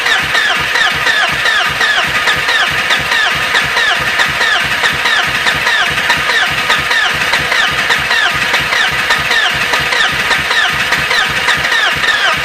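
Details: BMW E36 hard start: starter churns with an uneven chug for over ten seconds without catching cleanly; long-cranking hard start.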